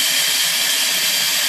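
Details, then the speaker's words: 2006 Ford Powerstroke, 150,000 miles, no-start with low ICP pressure. Air test applied through the IPR port, engine off. Steady, sharp hiss from the push-to-connect STC fitting, whose seal has gone bad; the fitting will be replaced along with a new pump. "we're going to plug this thing in for you that's what we do want to on an air test for this truck you can see it you can hear it hiss and it's coming right out of that out of that fitting um"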